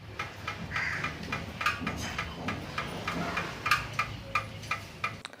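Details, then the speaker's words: Motorcycle/scooter with engine switched off after a long ride: light sharp metallic ticks about every half second from the hot exhaust manifold, bend pipe, catcon and silencer layers contracting at different rates as they cool; normal exhaust cooling tick. "कि जब आप लंबे समय तक अपने bike को चलाने के बाद इंजन को ऑफ करते हो जो एग्जाम सिस्टम है तो साइलेंसर वहां आपको टिक टिक टिक टिक इस तरह का आवाज सुनाई देता है"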